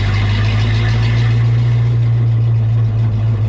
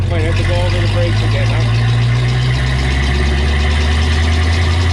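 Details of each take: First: 1932 Ford Coupe with Oldsmobile J2 engine on first test drive: deep steady drone holding a fast, even high idle with no dip; owners suspect idle setting or clutch not disengaging, possibly needing clutch adjustment, unconfirmed. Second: 1932 Ford five-window coupe with Oldsmobile J2 engine, first test drive since the 1950s: deep steady drone, no knocks or misses; normal running.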